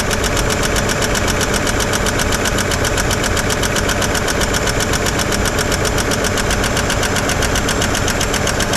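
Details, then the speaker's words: 1955 Chevrolet 210 revived after sitting many years, first run at idle: sharp fast ticking, about four per second, over the engine; one rear lifter or pushrod not getting oil, noisy valve train, suspected. "I think it's his back one yeah this back one's a little little noisy"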